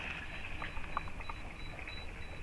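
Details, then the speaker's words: Nikon Creative Lighting System speedlights (a four-speedlight off-camera setup) give faint, high, thin beeps about three times a second over outdoor background rumble, signalling that the remote flashes have fired: a flash-ready confirmation beep. "one of the benefits about using the nikon creative lighting system is that when you take a photograph you get beeps from your speed lights"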